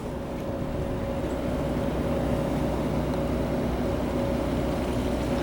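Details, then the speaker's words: Quiet water heater at full power, about 120,000 BTU, recorded outside right next to its vent: soft steady even rush with faint constant hum, nothing rattling or pulsing; about 57 dB, as quiet as a dryer vent. "Notice much quieter than my voice. This actually is about as quiet as what a dryer vent is."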